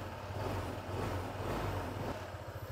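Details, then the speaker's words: Honda PCX160 scooter just after an oil change at about 1,700 km, light rev to circulate oil: low smooth engine note with even firing, no knocking or rattling, feels smoother. Normal running. "pagka bagong change oil, parang smooth ng takbo eh, no?"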